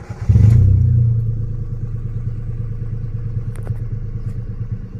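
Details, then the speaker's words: Nissan Almera/March after replacing the faulty ignition coil, which had caused stumbling, engine shake and a check-engine light: the engine catches and settles into a steady, even, soft idle with no stumble. Normal idle. "เสียงนิ่มขึ้นแล้วครับยังสะดุดไม่มีและเสียงนิ่มเดี๋ยวก็นุ่มเหมือนเดิมครับ"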